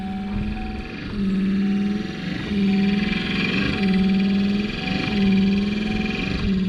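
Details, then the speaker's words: 1993 Ford F-150 worn wiper motor before replacement: won't move on first notch, only works turned all the way up; loud whirring groan swells and fades about once a second with each sweep over a steady hum. "i mean that's the motor making that sound as you can see it's working when it's turned all the way up but something ain't right"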